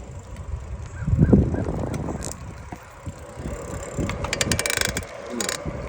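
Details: Specialized Sirrus X4.0 bicycle: uneven mechanical clicking and light grinding from the drivetrain while pedaling. Shop suggested pedal, then chain; owner suspects the crank. Cause not confirmed.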